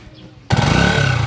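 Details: Motorcycle after overhaul that cured a very loud whining timing gear noise: engine catches at once and holds a steady, even idle with only a faint high tone; timing gear now quiet, normal idle.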